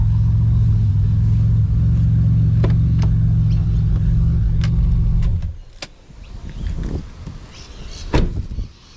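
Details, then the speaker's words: BMW E46 with turbo Ecotec swap, E46 rods and pistons, built transmission, running about 14 psi boost: smooth steady low drone with even firing and no knocks or rattles, then quiet street sounds; healthy normal running. "Yeah, it's running about it's running about 14 psi at the moment. Sounds good, sounds happy, drives happy, and I'm happy."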